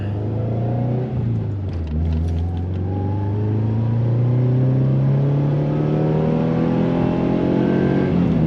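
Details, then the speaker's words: 2000 Subaru Impreza 2.5 RS (engine swapped about 150,000 miles ago) on a test drive after new OEM spark plugs; it previously shuddered and misfired above 4,000 rpm. Now it pulls cleanly at full throttle, revs climbing smoothly with no stumble: normal acceleration. "Yep, full throttle. That did it."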